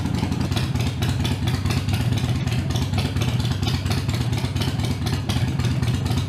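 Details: Harley-Davidson Iron 883 around a Sejati Booster setting to reduce engine heat, played for before/after comparison: lumpy V-twin idle with a few throttle blips, no popping or backfire, pulling cleanly; sounds healthy.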